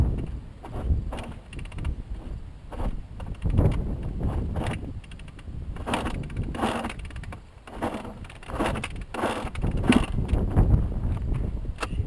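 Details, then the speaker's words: Honda CR125 two-stroke dirt bike being bump started after flooding; pushed bike gives uneven coughs and pops that never catch into a steady run, engine full of fuel; draining the carburetor float bowl suggested. Flooded engine. "Yeah, she's flooded. I don't like that noise either. Because she's full of gas."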